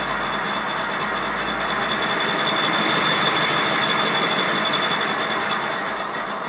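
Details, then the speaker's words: Simplex Prairie Tank model steam locomotive, whistle on compressed air test at about 70 psi (boiler working pressure 90 psi): steady high, clear whistle note over a rushing hiss without wavering. Whistle sounding properly. "the working pressure of this boiler is 90 pounds per square inch and here there's about 70 which is enough to make the whistle sound different"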